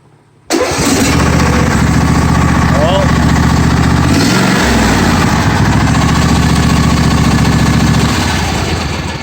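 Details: John Deere D155 lawn tractor with intermittent no-crank complaint, after wiring check and re-securing a connector: brief crank, fires within a second, steady even idle, then winds down; normal start and idle.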